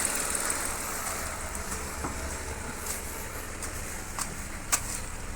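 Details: Renault Kwid after the no-start fault (stalled on the road, warning light at key-on, fuses fine) was got running: steady low engine hum with a few light clicks, even and unhurried; engine running normally.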